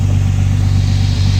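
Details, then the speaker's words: BMW E30 idling, its earlier heavy juddering cured. There is a steady, even, low rumble with no misses, knocks or hunting. It is idling smoothly and sounding healthy. "Ouais, franchement, ça tourne salement bien, hein. Abusé."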